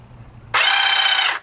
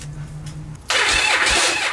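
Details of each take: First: Yamaha Virago XV1100 starter jumped directly with 12 volts: a sharp, even high whine under a second, starting and stopping cleanly, no grinding; starter fine, the solenoid is suspected bad. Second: Abandoned Yamaha Virago XV1100, start attempt with a little choke: two cranking bursts with a harsh metallic grind over the starter whir, engine never catches; the starter gears are grinding instead of meshing.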